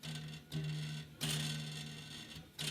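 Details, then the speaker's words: Deck cable railing being tensioned at the post: three sharp plucks, each ringing with a clear, steady low tone that slowly fades. The cable sounds properly taut. "that sounds pretty good so sometimes i do it to sound sometimes i do it detention"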